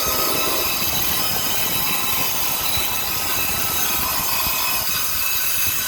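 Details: Copeland compressor making noise and cutting off, fan staying on: loud, harsh, hissy rattle with a rough rapid pulse and strong high-pitched content; compressor sounds distressed, cause unclear.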